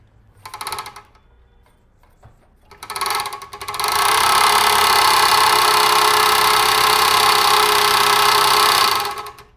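Once running, a rapid steady clatter of about 220 knocks a minute; the needle bar guide is striking its top or bottom stop.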